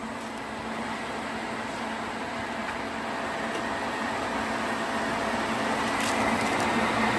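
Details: Cummins-swapped square-body truck, key on before start, in neutral, no leaks: even electric whir with steady hum, engine not running; fuel lift pump priming normally.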